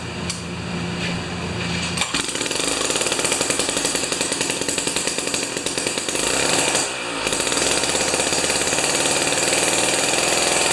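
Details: Jiffy 30 3HP two-stroke ice auger (owner unsure about J17LM vs J19LM plug): steady high-pitched buzz with even firing pulses and no stumbling; runs cleanly.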